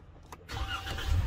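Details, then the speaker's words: Vehicle with intermittent no-crank after starter replacement: short crank, then engine catches and settles to idle; this time it starts, but sometimes it won't crank, suspected key problem. "but if not okay this is an intermittent no crank all right I see what's going on there's a problem with this key see that yes see that sometime it starts sometime it won't"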